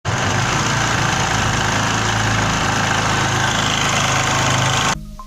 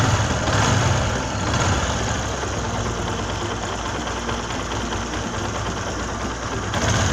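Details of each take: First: Motorcycle engine clatters loudly and coarsely like a tractor at idle after the head was recently opened: a loose timing chain slapping inside. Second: Small motorcycle idling evenly after worn timing chain guide pad was built up by welding to take up a loose timing chain; earlier tractor-like chain noise now mostly gone, smooth and near normal.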